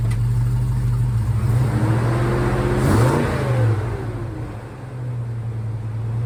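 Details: 1956 Chevy pickup V8 with newly fitted Dynomax Super Turbo mufflers, replacing rotted Flowmasters; deep, even burble climbing smoothly on a quick rev and settling back cleanly, no rasp or leak: healthy exhaust note.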